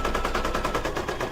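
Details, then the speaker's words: Brother DZ 820E embroidery machine stitching an applique mug rug: quick, even needle tapping at about ten strokes a second, steady rhythm with no grinding or clunks, a pleasant "song"; stitching normally. "He kind of has a song, doesn't he? Me, It's got a nice sound to it."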